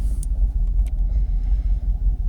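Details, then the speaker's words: Jaguar XKR (X100) V8 after a hard ECU reset, a fully charged battery and cleaned connectors: low, even rumble at about 650–700 rpm idle with no hunting or surging. No warnings; steady, not fluctuating like before. "No warnings. Staying steady as a rock. Not fluctuating like it was before."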